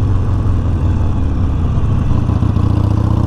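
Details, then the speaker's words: 2019 Harley Sportster Iron 1200 riding, light rear braking after the rear brakes were removed and cleaned: steady engine and road rumble, no squeal or ringing. Three-year rear brake squeak appears resolved; owner unsure whether it will return. "nothing so i think we're good as of right now like i said i don't know if it's gonna come back or what but that squeaking was getting so bad that it was like almost embarrassing to ride the bike around"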